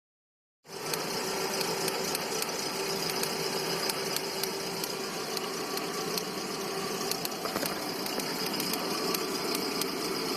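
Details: 2009 VW Gol G5 with 30,000 km at idle, noise comes with jerks and rpm loss: an uneven, fast ticking of about three to four ticks a second over a thin hiss; shops variously blamed lifters, a cracked ignition coil and a worn throttle body, unconfirmed.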